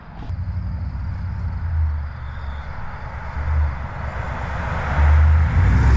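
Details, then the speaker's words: First start-up clip of a high-mileage 21-year-old GMT800 Chevy Silverado/GMC Sierra 1500 V8 after used long-tube header install: deep, even burble swelling as revs climb, no knocks or misses; normal idle and rev. "So we are going to put this down and get a first startup clip, some revs, and so far I am impressed. That sounds really good."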